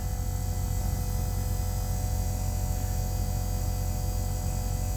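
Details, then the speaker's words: Kenworth diesel truck unused for a long time, new fuel lift pump priming with engine off: steady electric buzz, fixed low hum and thin tones; owner says it sounds stronger than the old pump, waits for buzzing to stop before starting; normal priming. "The lift pump sounded a lot stronger than the old one. It sounds much hyper. Alright, when it stops buzzing, then I'll go ahead and start the engine."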